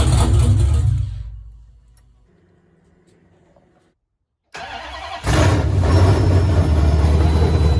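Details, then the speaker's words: 1970 Dodge Challenger with swapped Gen 3 5.7 Hemi on Holley Terminator X ECU, long-tube headers, dual Flowmaster mufflers; first start ever: V8 fires, fades, catches, settles into loud lumpy idle. Rough idle or just cam lope, unconfirmed; idle screw may need adjusting, sensor unplugged. "I don't know if that's because it's running rough, I don't know, or if that's just how the cam sounds, which sounds kind of awesome."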